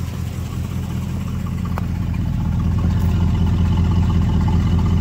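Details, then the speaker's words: 1969 Buick GS California, 350 V8 (280 hp) with Turbo 350 automatic and very low miles, during an appraisal. Steady, even idle with a smooth pulsing beat and no obvious knocking, aftermarket oil gauge near 40 psi; healthy engine. "Engine sounds good, no obvious knocking going on."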